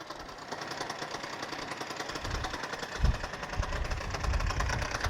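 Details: Freshly rebuilt Suzuki Address 110 scooter (Japanese parts), being run in, developed a rattle on a hot-day ride; it starts first time, smokes from generous oil, and a quiet buzzy idle carries an irregular metallic clatter from the magneto side: a loose flywheel rotor.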